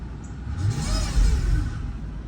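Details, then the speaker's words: 2005 Mercedes CL600 V12 twin turbo with intermittent transmission limp mode, parked, throttle blips: faint whine rising and falling with revs over deep rumble, lacks power, cause unidentified; whine when revving. "Okay, so I have it parked and when you hit this gas, listen to it. What the freak is that? 2005 CL600 V12 twin turbo. What is that? It lacks power and it does all that right there."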